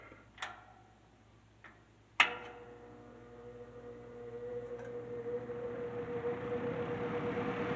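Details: C&H Whizzer 20-inch box fan after swapping in another fan's motor, not oiled before install; click at switch-on, then smooth hum rising steadily as the blades spin up; runs fine now.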